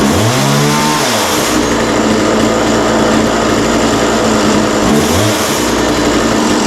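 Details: McCulloch MacCat 18 chainsaw with fuel and oil system problems, first start: the two-stroke fires quickly, revs up cleanly, then holds an even, steady high-pitched run with no stumbling or misfire; healthy engine.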